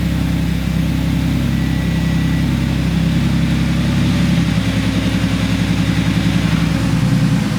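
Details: 2014 supercharged Audi S4, just started after the owner's own repair following a check engine light, with old exhaust smoke coming out. The idle is lumpy and uneven, with an irregular low pulse under the exhaust rumble. Cause not confirmed.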